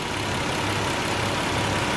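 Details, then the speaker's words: Nissan 300ZX petrol V6 idling smoothly with a steady even hum and no hiccup after misfire repair work; water temperature a little high; fuel filter still to be changed. "I don't hear that hiccup like I was hiccuping before. Oh my Lord. Let's see what she sound like. Man. She sound like she running smooth, fellas."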